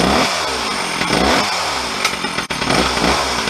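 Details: Stihl 034 chainsaw, a garage-sale saw parked 10–15 years, reassembled with bar and chain: idles cleanly, then revs up and drops back with crisp throttle response. It starts well and compression comes right up; the owner had suspected a crank seal or vacuum leak, and it seems fine.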